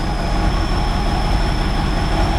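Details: 1969 Chevrolet Impala running on its own again after 20 years of sitting. Deep, uneven, lumpy idle with a faint steady high whistle; rough idle, possibly a vacuum leak near the carburetor (suspected).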